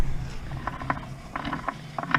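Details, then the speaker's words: SM465 transmission out of the truck, top off, shifted into first and turned by hand at the output: irregular gritty clicks and catches, hard to turn; chewed gear teeth and glitter in the bottom suggest damaged gears, not confirmed. "And first would be push the shifter ahead so the fork will go back. So that's first. And that's your, and there's noise to that. That's hard to turn on the output side."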